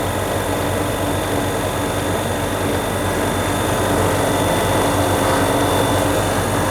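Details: Prestcold 1/2 HP compressor on a 90-gallon Fullwood milk tank after a no-start: steady even low drone, no knocking or stalling; suspected start-relay contact (cleaned) or bad wiring, 40+ year old capacitor wires replaced, running fine since.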